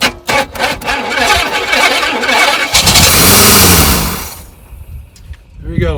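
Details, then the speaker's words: 1977 Pontiac Grand Prix, 6.6L 400 V8, junkyard car started after 20+ years, fuel poured down the carburetor: cranks and catches into a ragged surging run that fades and dies; too many vacuum leaks, exhaust possibly clogged. "We got too many vacuum leaks. We got to fix that."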